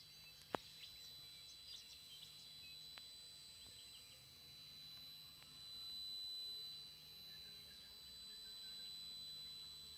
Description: TriStar TS-MPPT-60 squealing. The squealing lasts for about 15 minutes, usually first thing in the morning and last thing at night, but we've now noticed it squealing loudly in the day as it transitions between MPPT and Absorption stages.